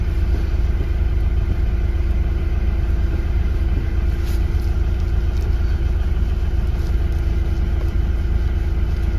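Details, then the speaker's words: Hyundai i30 driven on a rough road after replacing a worn part inside the cabin by the steering column, which had caused knocking in the steering (tie rods, ends and rack checked fine): only steady road rumble, no steering knocks. "після заміни власник вже довгий час їздить на автомобілі давав відгук свій сказав що нічого не стукає тепер тиша на поганій дорозі коли їхати вже нічого в кермо не стукає"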